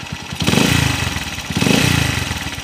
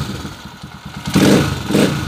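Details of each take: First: Honda TMX155 single, owner reports ticking when cold that fades when warm: uneven idle with revs swelling and dropping and a rough rattling spin inside; crankshaft bearing worn and crankshaft bent. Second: Honda TMX155 single-cylinder after repair of a cold-engine knocking noise, traced mainly to an alignment fault: even idle then two clean throttle blips, no knock or rattle; the earlier strange noise is gone.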